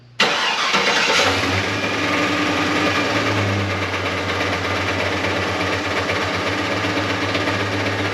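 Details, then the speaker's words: LS-swapped V8 sleeper cranks and catches, then idles with an uneven knocking pulse about four a second coming from underneath, felt as a shake through engine and drivetrain: broken flex plate / torque converter knock. "So you just hear it's got that kick to it. It's, you know, really annoying. Gives you a shake while you're driving. You feel it in the motor and the drivetrain."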